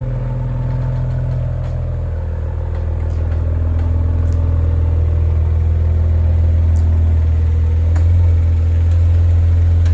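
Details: Maserati Ghibli creeping at very low speed with the steering at full lock: irregular sharp cracking and popping over a low engine rumble, also occurring with the brake applied; cause unknown.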